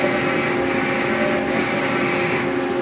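Smooth, even servo whine holding one pitch through the move, with no grinding or knocking; the axis drive is running normally.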